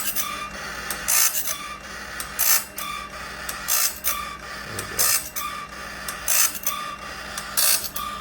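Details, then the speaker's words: Sawmill bandsaw blade on Timberking Talon sharpener, second pass, light sharpening of tooth faces and gullets: crisp hissing grinding bursts about every 1.25 seconds per tooth, barely touching; normal sharpening. "So now you can hear it's barely touching."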